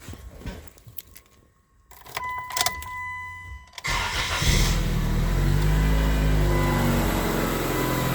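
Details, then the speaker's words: Dodge Stratus after alternator and belt refit, charging confirmed with a multimeter: a few clicks and rattles, then quick crank, catch and smooth even idle; hiss from a deliberately disconnected vacuum line; normal engine start. "everything sounds good I got my multimeter right here ready that's connected to positive and we are charging nice everything sounds normal"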